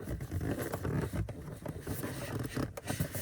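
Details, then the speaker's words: VW dashboard upper trim, heard only once the car warms after a drive or sits in the sun, not in the mornings: irregular soft creaks and scratchy rubbing bursts with no engine sound, as expanding plastics rub. Dashboard trim creak, cause suspected. "is very annoying once the car gets heated up um when it's parked out into the Sun for a while the Plastics expand and uh what happens is starts rubbing"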